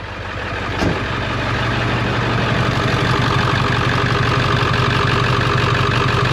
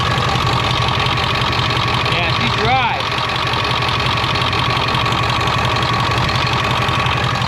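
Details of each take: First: 1999 Ford F350 7.3 turbo diesel after high-pressure oil line replacement: loud steady idle with a rhythmic chop about four beats a second; source of the chopping unclear. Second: 1999 Ford F350 7.3 turbo diesel after high-pressure oil line upgrade, with stop-leak added for a power steering leak: steady even idle clatter, no misses or knocks, brief background chirp; sounds good, no leaks seen.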